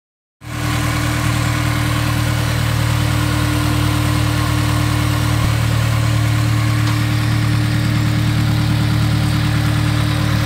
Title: Honda s2000 healthy engine sound after valve adjustment (f20c)